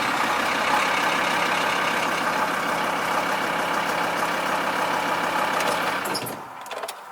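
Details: VW T4 2.5 TDI 1996 (ACV engine) with a newly fitted starter motor: it now starts and runs with steady, even diesel clatter and no clicking. The owner suspects a separate earthing problem because the clocks go out. Normal running after start.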